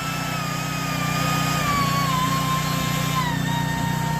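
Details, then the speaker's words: Router switched on after unlocking, with a generator droning in the background: the motor whine slides lower, steady and even, as speed is dialed down. The router runs normally at low speed. "Look how slow that goes. You can go all the way down to 1, and man, that thing is going very slow."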